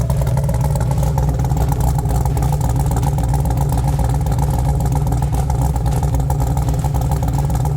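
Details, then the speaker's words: Jeep Wrangler TJ with 6.0L LS2 V8 (550 hp, about 8,000 miles on build, straight pipes), cold start: loud lumpy idle rumble with quick tapping three or four per second underneath; piston slap that lessens as engine warms. "can likely hear that tapping that is the piston piston slap"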